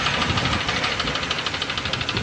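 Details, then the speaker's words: Honda engine at idle: sharp, steady, deep metallic knocking about ten times a second, from a bent connecting rod; the engine inside shows heavy dust and carbon. "ये टक की आवाें आपको सुनाई दे रही होंगी। ये आवाज कैसे पैदा हुई और कितना ज्यादा डस्ट है अंदर।"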